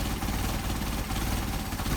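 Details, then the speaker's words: Engine with Solex 44PHH carburetors, idling about 450 rpm, idle mixture screw turned in to an extreme during adjustment on the first carburetor. RPM drops and the idle turns lumpy and stumbling. Rough idle from an over-lean idle mixture. "Alright, see RPM drop, you can hear the engine getting cobby. So we back it out."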